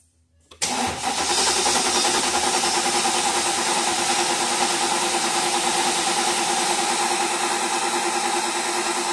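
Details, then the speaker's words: 2007 Mercedes S550 V8 with a misfire, cranking with coils and injector 1 disabled for a relative compression test: steady, even cranking rhythm, no dead cylinder found. "so um by the looks of it and even the cranking sound of it uh it doesn't appear that we have a dead hole at the moment"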